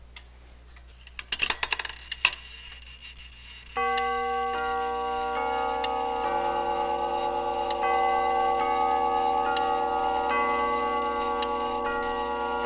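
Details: Tube gong grandfather clock fully running after refurbishing worn leather hammer pads: tubular chimes ring clear, sustained tones over a steady tick. It ticks and chimes normally.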